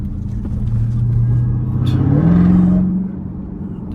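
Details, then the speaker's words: On a 707 hp supercharged V8 Jeep Trackhawk in track mode (50-50) on Miami streets, heard from inside: a clear supercharger whine that climbs in pitch with throttle and fades off-throttle. The owner jokes it's broken, but it's normal whine. "Damn, bro. I think my supercharged whines so much. I think it's broken, y'all. What y'all think?"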